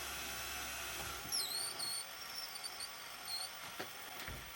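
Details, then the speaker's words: 1983 National NV300 VCR under repair, playing a tape: faint, thin, wavering high squeal over the quiet mechanism whirr as the tape crawls with lots of back tension; heavy tape-path drag, possibly from the lower head drum, not confirmed. "Oh, yeah. Lots of back tension. only just going. Oh, there you go. It's stopped. If we take that arm off. So, that might be coming from the lower drum or something."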